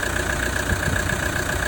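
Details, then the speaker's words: Toyota Prado 150 with 1KD-FTV diesel idling after an alternator replacement: steady, even clatter with a constant rhythm and no misses. The new alternator charges around 14.2 V into a low battery, so it runs as it should. Normal idle. "Sounds like it's running fine. As you can see, we're getting good charge there, around 14.2."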